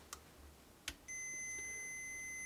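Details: Jaguar bass with hum problem: a couple of faint taps then a steady high tone over a second, the continuity tester confirming wiring is connected; hum traced to the treble boost amplifying existing noise.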